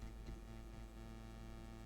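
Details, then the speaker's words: Home-built Electronoobs-design inverter with soft start, output reaching 220 V under lamp load: steady low buzz with firm tonal lines and faint ticking; MOSFETs start warming when loaded, cause of abnormal buzzing unclear. "It's okay, and you hear, see, it's reaching this 220, but it's given this noise"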